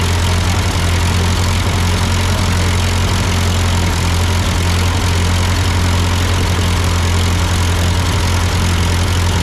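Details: Ford 8N tractor at idle with no load, just after a carburetor adjustment. It had sputtered uphill, blamed on a cheap Chinese carb; an old Marvel-Schebler ran fine. Steady, even low idle, no stumbles or surging: normal idle.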